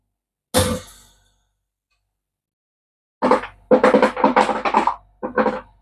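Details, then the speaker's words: Vpcok Direct countertop ice maker, measured about 60-65 dB running from mid-room: one brief clatter, pause, then a burst of hard cubes tumbling into the bin, rising to about 80-90 dB during the drop; normal ice drop. "Ça reste assez silencieux, même quand les glaçons tombent, on monte à 80-90 décibels, forcément le temps de la chute, mais ça reste très très silencieux."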